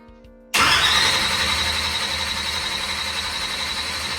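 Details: Boosted big-block Chevy race engine, rebuilt after a broken timing chain locked it up, with new cam and 4-7/3-2 firing-order swap: sudden catch from silence into a loud steady run with a sharp high whistle; first fire-up after repair.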